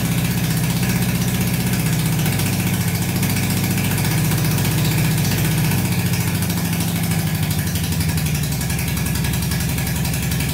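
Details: Barn-find Honda CB350 (1970/1974 stated) that sat for years, not previously running; with more fuel added, even deep twin burble holding steady beat with light revving, both cylinders firing: normal running.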